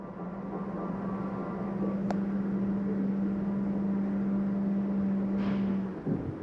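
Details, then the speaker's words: 2024 Sierra 4003MB trailer, bedroom slide-out retracting: steady low electric motor hum holding several seconds, then dropping off as the slide seats fully closed; normal retraction. "we're going to start here that's going to be our bedroom you can hear that coming in made sure everything was out of the way lights were off door is closed"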